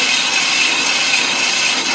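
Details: Brake drum on an Ammco brake lathe, first cut: the arbor moves the spinning drum while the tooling bar stays stationary. Even, high scraping hiss of the bit cutting steel, steady and chatter-free; a normal cutting pass.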